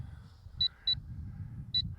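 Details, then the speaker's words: LSRC KS66 brushless auto-hover drone in flight, high rate, into wind; pairs of sharp high telemetry beeps over faint propeller hum: low-battery warning giving about two minutes of flight left. "now that's you hear that beeping that is the um Telemetry warning it gives you about a two- minute warning when the battery gets low"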